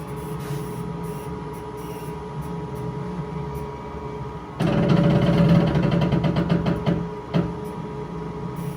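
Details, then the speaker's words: K40 laser cutter (upgraded third version): rough rattling knock repeating about four times a second as the gantry moves forward and back on the Y-axis; owner suspects the belt skips; loose Y-axis gantry belt, to be adjusted. "i had some issues on the y-axis when it goes forward and back and sometimes it i don't know if it skips the belt that's what we want to find out"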